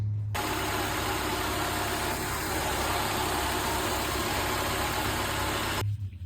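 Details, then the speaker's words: Honda Civic EK hatch four-cylinder idling smooth and even with a steady low hum, no ticking, slapping or whine, after retensioning an overtight timing belt; owner still hears an unknown noise when revving, possibly an exhaust manifold leak. Normal idle. "Um, I'll insert a clip of what the engine sounds like now. Sounds like it's running very nice now."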